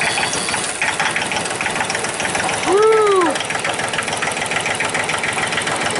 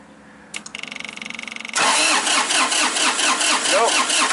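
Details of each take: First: 2005 Massey Ferguson tractor with Japanese-made 3-cylinder diesel, previously crank no-start, clatters at steady idle once started; fuel shutoff solenoid plunger on high-pressure pump involved, pushing it in shuts engine off. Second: 2005 Massey Ferguson tractor, Japanese three-cylinder diesel, cranking with a high-pressure line fitting cracked open and no fuel spraying out: the starter churns with steady compression pulses but it never fires. Crank no-start, no high-pressure fuel because the shutoff solenoid isn't pulling in.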